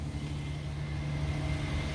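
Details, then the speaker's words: 2003–2008 Infiniti FX35 3.5L engine, cold start after squeaky belt fix: steady low idle hum with no belt squeal or chirp, previously squealed on cold startup; normal idle, no belt squeal. "There's no more squeal. I can come back out here another hour and a half to 2 hours just to make sure again. I'll start it up again and there'll be no more squeal."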